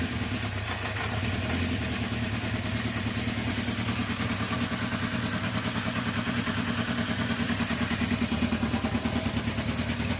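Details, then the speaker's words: Honda CB350 after carb cleaning and balancing, new 17/39 sprockets, choke off: catches quickly and settles into a steady, even idle, a touch low but smooth; normal start and idle. "the moment bike starts runs sounds really good so I'm happy"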